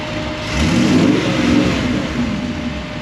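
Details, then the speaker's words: 1963 Dodge Sweptline Crew Cab engine just after cam break-in: quick rev blip, then a steady, even run with no knocks or ticks; sounds like a decent, healthy motor. "it's 10 o'clock and we just broke in a cam but needed to be done so I'm pretty happy with it sounds like it'll be a decent motor"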